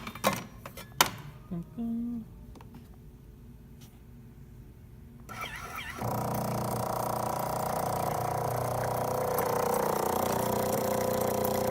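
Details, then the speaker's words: Jura J9 espresso machine brought in for not brewing, after its bad grinder was replaced. Clicks, then a steady even pump hum through pre-infusion and the shot, no strain or rattle. Normal brew cycle. "yeah and now we'll pull so you can hear grand pre-infusion there we go bring a beautiful shot the good stream"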